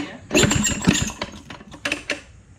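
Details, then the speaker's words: Maytag 92 hit-and-miss engine, garage find, running: uneven firing bursts with a thin high squeal over the first hits, smoking heavily; squeal source unclear, owner wonders if something is hitting. Squeal while running. "Why is it squeaking so much? That sounds It terrible."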